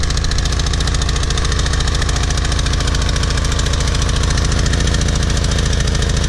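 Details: PowerFlow+ pressure washer, Briggs & Stratton 190cc, after carburetor cleaning of clogged jet and dried gas from over a year sitting: steady even low thrum, quick regular beat, no misses or surging; clean healthy idle.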